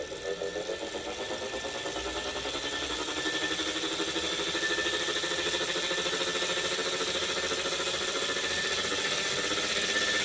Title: Wahoo Kikcr Core humming noise